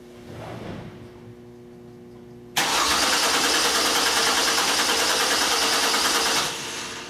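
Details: 2002 Mercury Cougar 2.5L, electronic returnless fuel system: steady, even starter cranking about three turns a second for four seconds, engine never fires; no fuel pressure from the pump, traced to reversed wiring on a newly installed fuel pump.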